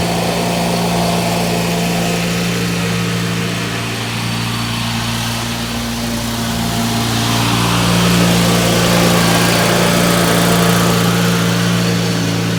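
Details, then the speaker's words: Ford YT16 lawn tractor under restoration, engine holding a steady, fast, slightly hunting drone that won't settle to a proper idle; revving quite a bit from carburetor issues despite a new carb. "it's not running perfect it's got some carburetor issues right now it's revving quite a bit and that is a new carb"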